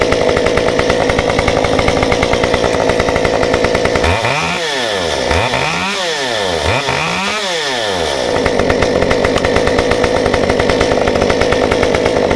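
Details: Stihl 193T climbing saw with muffler mod, limiters removed, ~8–9° timing advance, 93 non-E fuel, 16-inch bar; restarted hot after 5 minutes off, crisp clean idle, three quick throttle blips rising and falling smoothly, settles to even idle; runs normally.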